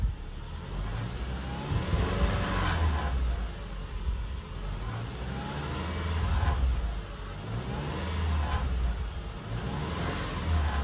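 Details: 2010 Subaru Forester revving: tinny grinding/buzzing rattle reproducible around 2700 RPM, also on acceleration and occasionally idle, caused by a loose exhaust heat shield.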